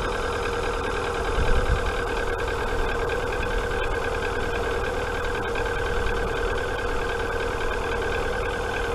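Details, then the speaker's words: Rover 45 idling after storage, head rebuilt a few years ago but original camshafts and cam followers kept: steady idle with a light, quick ticking on top. Owner attributes the tapping to the camshafts and followers not being replaced. "but the tight-fisted bugger won't buy new cam followers and new camshafts that's the reason why it sounds a little bit tap to flattery"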